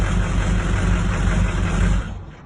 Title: 04 Duramax rough idle